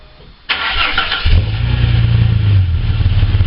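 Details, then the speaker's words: Ford ED Falcon just after exhaust system replacement: starter whirr, then the engine catches and settles into a steady, even idle with a deep, clean exhaust note. Healthy start, no leaks heard. "Alrighty, now let's give it a start and hear what it sounds like."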